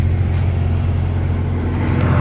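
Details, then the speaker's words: Porsche 993 idling after running hot in traffic, oil cooler fan tested by swapping in the A/C relay: steady idle with smooth fan whoosh, fan running; original oil cooler relay clicks but is faulty, giving no fan and overheating. "That fan is on, right? That fan is running."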